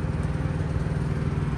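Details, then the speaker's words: Truck APU diesel, without DEF: a low throbbing drone with an uneven, lumpy beat that never settles. The APU is running rough and sounds choked up. "hear how rough this guy's apu is running still sounds like it's you know all choked up"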